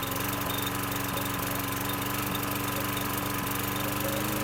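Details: 2009 Lawn-Boy 20-inch mower, 675 series engine: after the throttle tab was pulled forward to raise rpm from very low, the exhaust starts cutting out, with small uneven chugs and missed beats as if fuel-starved; cause not confirmed.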